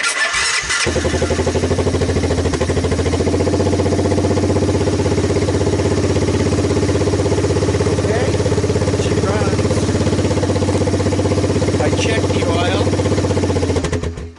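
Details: Water-damaged 1997 Honda Fourtrax 300 4x4 single-cylinder on a jump pack, cold start with the idle turned down and choke on (won't run without it). It catches quickly and settles into a steady, even putter with no misses or knocks; normal cold start idle.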